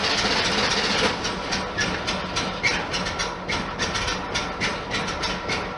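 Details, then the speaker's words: 1973 VW Super Beetle cold start in neutral, no throttle, after spring maintenance with new plugs one heat range hotter gapped .040" and wires reconnected: even chug of three to four beats a second, healthy normal idle. "So I'm not putting my foot on the gas or anything. It's just a cold start."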